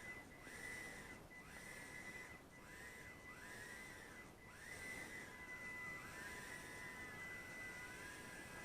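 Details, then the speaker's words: Eachine E010S micro whoop with 59,000 RPM coreless brushed motors: thin high whine climbing and dipping with throttle over steady hiss; PWM rate too low, raising it to 32,000 makes the whine less annoying. "it's got that annoying hiss to the motors if you change your pwm rate to 32,000 that will uh make that sound a little less annoying that whining noise"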